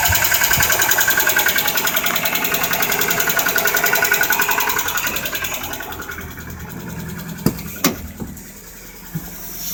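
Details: Nissan 1990 pickup engine running with a regular rapid knock, a bit under three per second, before shutting down; the cause of the knocking is not pinned down.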